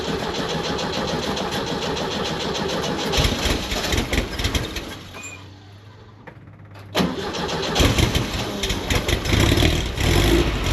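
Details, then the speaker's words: VW Kombi camper just after a new custom exhaust install replacing the rusty, leaking old system: catches after a short crank into a steady even idle, no rattles or puffing leaks, much quieter than before. "Sounds so much better than what I had before. It doesn't rattle, it doesn't leak, it sounds so much quieter."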